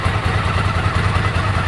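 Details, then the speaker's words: 1998 Ducati ST2, 10,596 miles, original exhaust about 72-74 dB at tick over after new clutch, fuel pump, HT leads, Brisk plugs: even lumpy thump with steady low beats, no knocks, ticks or rattles; ticks over beautifully, healthy idle. "which is good, quite interesting actually, quite high for standard exhaust, but it's 1998 model, so that's the decibels. Ticks over beautifully now."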